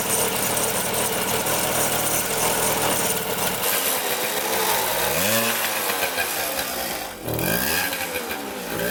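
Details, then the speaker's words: 1974 Honda Elsinore MR50 50cc two-stroke revving unevenly, surging and sagging. Gas is dripping from the carb; the owner suspects a sticking needle or a float not coming up, and a carburetor fault. "nope let's see here yeah it's got to be something with the carburetor"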